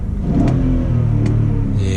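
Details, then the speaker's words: 2002 BMW 540i (E39) V8 after a salvage rebuild: a deep, smooth note swells evenly with each throttle blip and settles cleanly, no knocks or misses; the engine sounds healthy. "who wants gonna ride with me let's go check out how the car runs and see we can find any other issues when we drive listen to that v8 power we a cup of revs"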